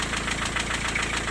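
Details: Diesel at idle after vacuum pump replacement. The intermittent knock, present hot or cold, persists and seems located near cylinder four. Owner suspects the valve shim. Sharp regular knocking about six to seven per second: piston slap.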